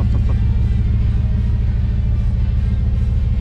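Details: 1996 Chevrolet Suburban, 5.7 Vortec V8 small-block, 4L60E, long-standing misfire: at idle a deep, uneven rumble with a recurring stumble.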